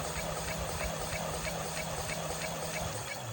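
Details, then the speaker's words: Hub motor wheel with rhythmic knock, earlier squeaked when pushed: steady ticking knock about three times a second over motor hum, worse at higher speed in second; owner suspects warped brake disc, unconfirmed. "При эксплуатации появился вот такой стук. Раньше был писк, когда его катишь просто. Сейчас появился вот такой"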